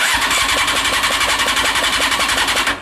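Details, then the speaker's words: CBR600 reverse trike fuel pump back on its original dodgy wiring: slow labouring whir pulsing about five times a second, pump only slowly pumping; weak pump from poor wiring that needs fiddling. "i don't know if you guys can hear it but it is it is slowly pumping so this is what i'm talking about with the wiring with this thing it's kind of dodgy"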